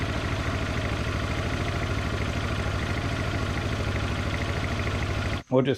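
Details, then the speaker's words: 2005 Yamaha Majesty 400cc scooter after the variator was fixed with new parts and the fan clears the case; steady, even single-cylinder idle with no rattles or scraping from the drive: normal idle. "rode around the yard no issues no weird noises so tomorrow we get inspected we're good to go"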